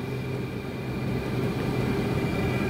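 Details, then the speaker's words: Cheap Chinese diesel air heater on its first test run, no muffler fitted, heard from about five feet: steady low whoosh and hum from the combustion fan with a faint constant tone; fuel pump inaudible, running normally. "and i can't even hear that fuel pump like people say oh you can hear the fuel pump i can't hear that i hear a fan"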